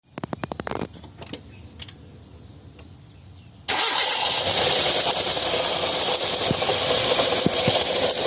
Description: Abrasion noise from an air conditioner compressor bearing in a second generation Hyundai Getz vehicle Noise is generated when the engine is running and the pulleys and belts are rotating between the air conditioner compressor.